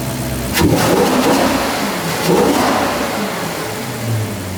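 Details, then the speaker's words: Maserati Quattroporte after repair: starts quickly and revs up cleanly with even firing and no misfire, very different from before; cam-timing behaviour while driving is still untested. "I think we've done it that is sounding beautiful and no misfire and you can really listen to that now very very very different to before"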